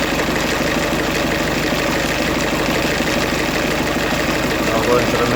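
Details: 2008 Ford Fiesta van 1.6 diesel with crank-no-start and P0698 sensor reference voltage code; running with a safety pin bridging the 5 V reference between the crank sensor and the EGR potentiometer. Even clatter at a steady idle, no misses or hunting. Normal idle.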